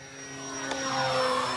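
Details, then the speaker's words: Arrows Tecnam 2010 1450mm RC plane in flight, coming off throttle; steady thin tones under rising air rush as the prop windmills in the airflow: propeller windmilling noise, normal. "tractoring of the prop meaning the spinning induced from the throttle from the motor okay meets the speed where it's being pushed and then whirly gigged around by wind and that's that noise you hear"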